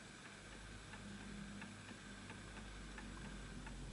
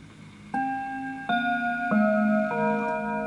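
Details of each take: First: Antique Enfield Westminster-chime mantle clock with pendulum off centre, adjusted via the two arms: faint ticking about three a second with unevenly spaced tick and tock; out of beat, needs nudging, later stops. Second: Antique Enfield Westminster-chime mantle clock, fully wound, chime checked before sale: four clear bell notes ring evenly about two-thirds of a second apart, sustaining cleanly; the quarter-hour chime works properly.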